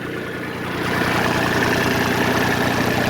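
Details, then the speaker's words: Kubota ZD28 diesel mower idling with steady chatter that won't die down; engine won't shut off from the key, suspected wonky switch and wiring-harness gremlins. "maybe this little red lever that mechanically tells it to turn off so this also confirms my suspicion that the switch is wonky too"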